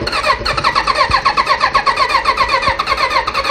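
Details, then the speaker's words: Kawasaki Voyager XII motorcycle that sat for a long time, no-start project. Starter churns at a steady, quick beat but the engine never catches. Cranks without starting; owner suspects it is flooded from repeated cranking. "I'm gonna go get some starter fluid I think I think I flooded it with all the turnovers"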